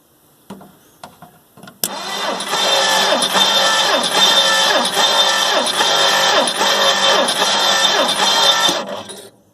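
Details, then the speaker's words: 1958 Plymouth engine, rebuilt 1968, compression test on cylinder 3: steady, even cranking at about two and a half turns per second; reads 140 again, good compression. "$140 again. I like that."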